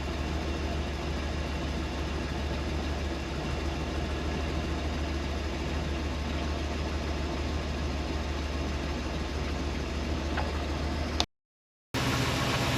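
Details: 1976 Dodge Shasta RV engine: low, even rumble at a steady slow idle without hunting or surging after a sticking high idle was released by pressing the gas; proper idle speed.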